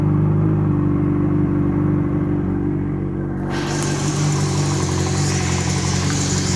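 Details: Kawasaki ZX-6R going from idle into a rev: rough, uneven mechanical chatter over the engine note; strange internal noise, bent valve suspected but not confirmed.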